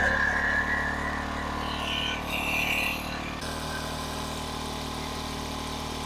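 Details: King Canada 1500 W generator (rated 1200 W) running a 1500 W heater on medium: steady even drone under heavy load, lighter once load drops; runs smoothly, no hunting or misfire.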